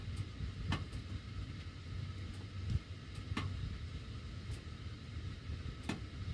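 Sharp, irregular metallic ticks every second or so over a low air rumble while the heat runs; cause not identified.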